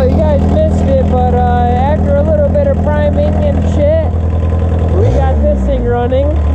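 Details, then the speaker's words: Volkswagen Rabbit diesel pickup first started after sitting about 15–17 years, with new ground cable and fuel primed: low, steady idle with a slightly uneven beat and a wobble near the end; cause unconfirmed. "that's hilarious it's been sitting up 15 years"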